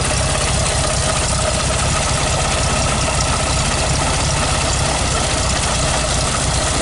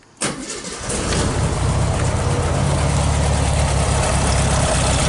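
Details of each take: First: 1969 VW Beetle 1500cc air-cooled, cold start with a bit of choke: steady, even, busy rattly air-cooled clatter with no misses or knocks; normal cold idle. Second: 1969 Volkswagen Beetle 1500cc air-cooled, cold start on the third try needing a bit of choke: engine catches suddenly, surges, then settles into a steady, slightly uneven idle.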